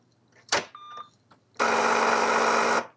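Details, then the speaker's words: AN/UGC-74B military communications terminal dot-matrix printer at 120 V power-up: click and short tone, then flat steady buzz about a second, carriage not moving, alarm sounding; carriage drive stalled, electrical fault suspected, not confirmed. "So, obviously the power is on and you know things start to come to life a little bit, but this absolutely doesn't move and it makes som"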